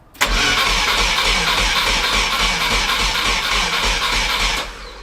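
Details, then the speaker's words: VW T3 Combi with swapped Subaru engine on standalone ECU: starter churns steadily about 3.5 beats a second for five seconds, never catches; no spark because an ignition coil wire was unplugged. "Il y avait un fil de bobine qui n'était pas branché. C'est pour ça que j'avais pas d'allumage."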